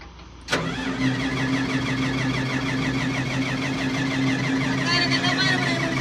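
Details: Komatsu D155A diesel: short crank, then catches at once and settles into a steady, even idle with a smooth low drone; healthy start.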